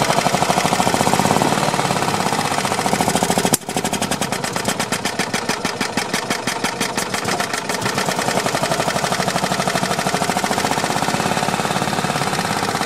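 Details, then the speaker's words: Long-stored Yamaha G2 gas golf cart running on old, bad-smelling fuel after the fuel pump was confirmed working: single-cylinder putter at fast idle with uneven, stumbling, weaker firings; running rough, cause not confirmed. "well i know it's running kind of crappy but i think it's enough to move us around"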